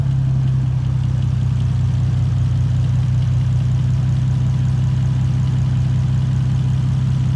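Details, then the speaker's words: Toyota 2JZ turbo engine after reconnecting the oil line to restore lost oil pressure: smooth, deep, even idle with no knocking. Only a slight exhaust leak can be heard, which the owner thinks is from a warped manifold. "but it sounds way better all you can hear is like a little exhaust leaks that I got around here which I think the manifold is just warped"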